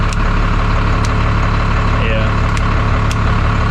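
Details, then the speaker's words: 1991 Freightliner FL70 tow truck, believed 5.9 12-valve Cummins diesel, sat about 15–20 years; started right up: steady low diesel rumble, even beat, no knocks or misses, really good oil pressure; normal idle. "see if it starts starts right up like a champ"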